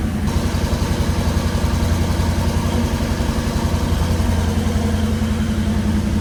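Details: Restored 9C1 car after new exhaust clamped and lowered: steady, even V8 idle burble, deep smooth exhaust note, no knocks or misses; much nicer, healthy running.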